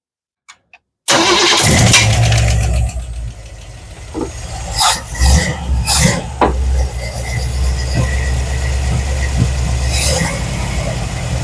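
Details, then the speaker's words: Square-body Chevy C10 engine sitting for years, first start by arcing the starter after Marvel Mystery Oil in cylinders, new plugs and new carburetor: cranks, catches, settles into steady even idle, smoking, no knocking, some bangs; runs normally after long storage. "Well, it runs. Okay, so we know it's running, and it's smoking to be damned."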